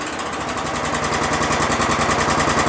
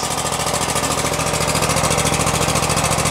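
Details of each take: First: Exmark Lazer Z 60-inch mower, 27hp Kohler twin, started on choke after carburetor flooding work, throttle raised from half: steady sharp knocking about nine beats a second over the engine; a nasty knock, source not pinned down. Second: About 2016 Exmark Lazer E-series 60-inch mower, 27hp Kohler V-twin, about 3,800 hours, carburetor flooding issue, cold start on choke at half throttle: a smooth, regular idle with no surging; initial smoke clearing. A knock appears later under throttle.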